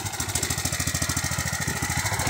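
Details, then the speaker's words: Riding tractor engine chugging at idle with an uneven sputter and unburnt fuel smell; carburetor flooding the engine, runs smooth with fuel shut off; carburetor to be replaced. "Thing's flooding its damn self. That was the smell of unburnt fuel."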